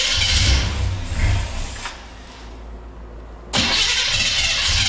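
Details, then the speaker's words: 1966 Chrysler Newport convertible after sitting for years, weak battery: harsh rapid chattering churn while cranking, then fires and idles; the wrong starter was fitted and chewed the ring gear, fixed by fitting a different starter. "And then the starter just sounded like it was just chewing everything up to heck, which it was."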